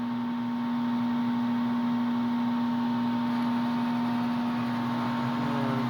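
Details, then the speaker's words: HVAC furnace heater that quit working, control light flashing four times, flame not igniting: loud steady electrical hum at one pitch with no spin-up; owner suspects the fan motor is bad or underpowered, unconfirmed. "yeah that noise right there is what's bugging me I think it's the fan motor but I don't know to be honest"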